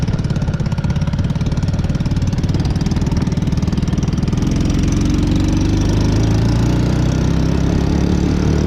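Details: Taotao Boulder 125 Chinese ATV, after the top end was pulled, slightly warmed up in cold weather: a small single thumping at a fast idle, picking up as it warms, firing steadily with no clear knock; it still won't move.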